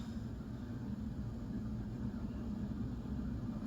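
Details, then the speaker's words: Leading Edge Ring Fan Hi Tech II 56-inch ceiling fan, tested on capacitor bank and solid-state speed control: only a faint steady motor hum, no buzzing or ticking; judged silent, normal operation. "oh way quieter than I thought it's not buzzing away so far it's silent"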